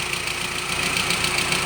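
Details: GAZelle ZMZ 406 injector engine at hot idle (70–87°C): a light, fast, even ticking rides over a steady idle. Owner suspects the hydraulic lifters knock when hot and plans to replace all sixteen.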